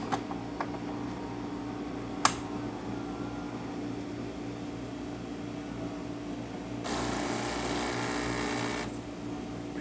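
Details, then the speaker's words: Saeco Intelia espresso machine after a seized grinder was replaced and the brew unit was serviced and descaled: a steady buzzing rush for about two seconds as the pump pushes water through while brewing espresso. Normal pump operation. "So starting one shot of espresso, we're gonna test it out as you can hear and see the grinder spinning, and definitely grinder."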